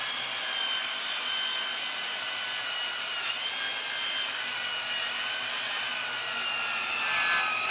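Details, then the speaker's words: Dovaman DMS01C 10-inch sliding miter saw cutting pine at a 45-degree miter: high whine with blade rasping through wood, dipping midway as the motor loses RPM; motor bogging under heavy load. "That definitely maxed out our saw. Took a little bit longer, and the saw definitely sounded like it lost a lot of RPM during that cut."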